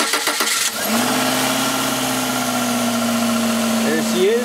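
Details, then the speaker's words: 1995 Subaru Legacy 2.2 after new igniter installed: brief cranking, then it catches at once into a steady, even idle with no misfire; good spark restored. "is good so uh obviously we got good spark now the car runs bad igniter"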